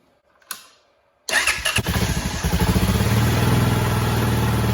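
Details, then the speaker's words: Honda Foreman 450 ATV, first cold start after carburetor rebuild and install: starter catches and the single fires into a slow, uneven thump about three beats a second; idle set too low, to be raised and fine-tuned when warm. "Probably will need to adjust that idle some. I don't like to do that until I get it warmed up, but it appears to be really low, so I'm actually just going to turn it up, and we'll have to adjust it more precise later"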